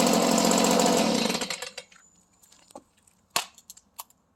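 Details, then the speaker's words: Stihl blower started without a recoil, already slightly warm, in Florida; crisp high buzz runs evenly about a second and a half, then dies away with a few clicks; normal running. "So, and just for the record, that was already a little bit warm, but oftentimes, even when it's cold, of course, it's never really cold too much down here in Florida."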